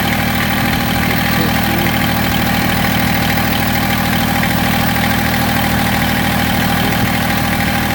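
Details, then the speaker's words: Massey Ferguson GC1710 sub-compact tractor diesel idled down, running unevenly with a lumpy, shaky beat under a steady drone, tremendous vibration and power loss; owner suspects a cylinder misfiring or not firing, not confirmed. "now I idle it down and you can see how rough I mean I I can't I wish I could show you how much this knob is moving but it's bouncing tremendously everything is just everything's shaking tremendous"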